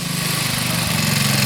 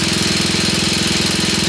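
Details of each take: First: 1966 Sears Custom lawn tractor single-cylinder, about 50 years old, after carburetor and points ignition work: steady, even beat holding firm as load comes on, no misses or knocks, good power; normal under load, though it smokes and warped head gasket surface noted. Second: 1966 Sears Custom lawn tractor, first start, with choke: fast single-cylinder putter with an uneven hunting beat over a loud hiss; unsettled idle, something burning off, owner wonders if the block has a hole.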